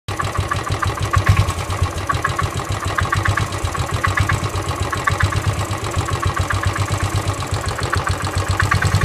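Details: Royal Enfield Desert Storm Classic 500cc EFI at idle after a tour, recently serviced (oil, filters changed): steady single-cylinder idle with a light regular metallic tick on each firing pulse; friends suggest piston slap or worn floating bushes, unconfirmed.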